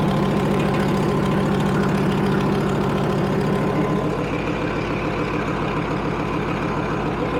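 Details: Leopard tank diesel, test run after fuel injector bank O-rings were replaced. Deep, steady idle with even firing at about three pulses per second and no misses; no leaks found. Normal idle.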